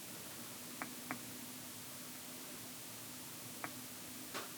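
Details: Samsung S24 Ultra camera, sliding zoom around 6x: faint sharp clicks in a quiet room, a quick pair then two more seconds apart, as the lens shifts; periscope lens suspected unused, AI combining lenses, not confirmed.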